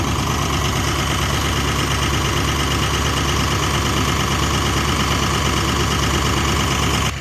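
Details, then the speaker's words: Jeep WJ warming up for 10-15 minutes: steady smooth low rumble at high idle about 1,000 rpm, no knocks, misses or surging; normal warm-up idle. "There's high idle. High idle is only about 1,000 RPM."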